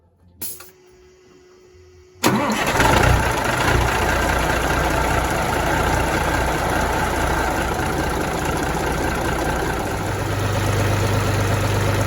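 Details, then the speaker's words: Peterbilt 359 diesel after the power steering system was cleaned, reconnected and topped up with oil: steering held at full lock makes the idle note drop and deepen as the pump loads up. Normal hydraulic pressure, and the steering feels smooth. "now when you get all the way to the end and i hold it there you can hear the motor load up that's a good sign that we've got hydraulic pressure"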